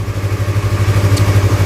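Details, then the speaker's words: Used 250cc sport fairing motorcycle idling during a pre-purchase check, exhaust covered by hand; even deep thumping about eight pulses per second, no knocks or misses, engine very smooth, normal idle. "ini maut mesinnya masih sangat halus jadi ini motor Kondisinya masih sangat eh bagus"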